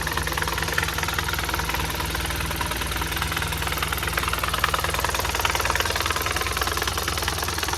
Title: MR16DDT 1.6L Sentra rattle noise from transmission